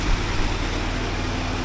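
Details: 1979 Porsche 924 cold four-cylinder after warm-up regulator adjustment with half-millimetre spring shim, fuel pressure set about 3.5-3.6 (spec 3.4-3.8): smooth even low rumble, no knocks or misses; normal cold idle.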